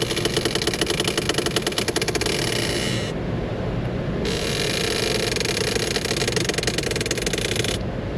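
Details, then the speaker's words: During scan-tool HVAC actuation test, floor servo actuator: buzzing, ratcheting chatter in two few-second bursts over quiet idle; servo position reading changes 0 to 255 with the noise; suspected struggling door actuator, removal planned. "Whoa, whoa, whoa. Man, that thing sounds like it's flexing the door."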